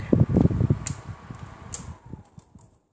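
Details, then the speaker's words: Box fan with a broken blade: uneven low thumping about three times a second over the fan's whir, fading as it slows; the broken blade is knocking. Loud in use. "I think it's broken I hear some noises like knock knock knock"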